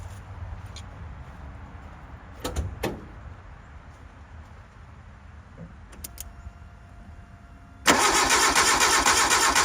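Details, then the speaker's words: 1988 Suzuki Samurai parked since the late 1990s, cranked without starting fluid: starter spins steadily but engine never fires; fuel line pulled shows no fuel reaching the engine. "Let's see if we're getting fuel up here. Alright, getting no fuel."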